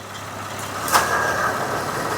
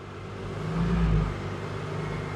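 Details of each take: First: 2007 Honda Odyssey at idle, about 12°C: crisp click as the AC compressor clutch engages after replacing the failed AC clutch relay, then idle holds even; compressor runs and cycles normally. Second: 2007 Honda Odyssey at 11 °C with check engine light on: engine speed rises as the AC is switched on, then holds steady with no compressor engaging, so the ECM gets the AC request; failed AC clutch relay.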